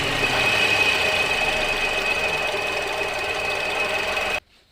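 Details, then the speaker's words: 2007 Toyota Vios, idling with AC on, before compressor replacement: constant high-pitched whine over the idle until shutdown, from a noisy AC compressor pulley set; compressor to be removed for checking. "ชุดมู่เล่ย์คอมมีเสียงดังเดี๋ยวถอดออกมาเช็คคอมกันก่อนนะครับว่าคอมยังมีกำลังอัดกำลังดูดไหมล่ะ"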